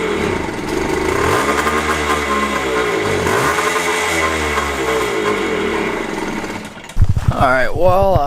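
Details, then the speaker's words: 2001 JR80 5-speed two-stroke dirt bike, won't idle or stay running, dies when clutch pulled: throttle does nothing then kicks in seconds later, buzz surging and sagging; gas line full of dirt particles, suspected clogged fuel supply. "Give it throttle, it does absolutely nothing, and then it kicks in like a few seconds later."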